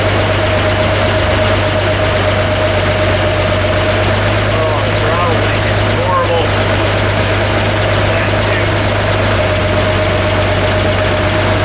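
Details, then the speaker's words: Vintage Toyota Land Cruiser six-cylinder (stated as 1979 or 1972) after adjusting the Weber carburetor idle mixture screws: steady, even idle with a constant low drone and no misses, all six cylinders firing. Oil pressure is excellent, and the throttle return spring is poor. "but it's already running a ton better and we're running on all six cylinders now so that's a good step in the right direction"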